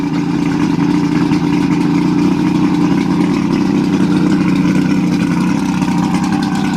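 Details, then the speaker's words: Mercury 1350 two-stroke outboard on 1971 Marlin boat, first start in over 20 years; loud, even buzzing drone held steady for several seconds with no stumbles or surges; normal running. "heck yeah it's gonna go man those things sound sweet"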